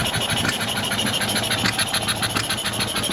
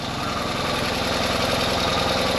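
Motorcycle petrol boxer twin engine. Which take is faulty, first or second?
first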